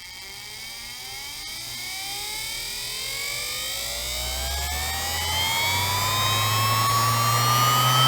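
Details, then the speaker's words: Refurbished 1972 sewing machine electric motor, 1.3 A, cleaned commutator and lubricated, bench-tested with the pedal current regulator pressed fully down: clean whine climbing steadily in pitch to top speed, no rattle or scraping. Healthy at full speed. "I think the sound gives you a very good idea how fast this thing can spin"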